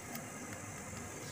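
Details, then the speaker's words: NASA mini echo mic preamplifier kit after fixing the hum: steady, even hiss with no hum and no signal; the kit still hisses, typical of this echo circuit. "Nah setelah dikloning dia tidak Academy dengan dengung tidak ada teman-teman cuman ada suara desisan Turbo Hai desis khas dari suara Eko"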